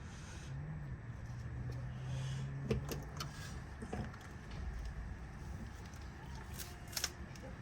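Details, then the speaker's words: Lexus GX, rear brake refresh (new pads, rotors, calipers, stainless lines) during bleeding: faint steady low whine for a few seconds from the brake pump, normal operation. "Off the brakes and then tighten this bleeder down. You could hear the little whine, that is the pump."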